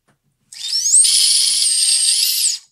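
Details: Micro quadcopter brushless motor spun without props from the Betaflight motors tab: thin high whine that climbs, holds and drops, with a gritty rasp through it. Worn bearings, which are then replaced with bearings from a donor motor.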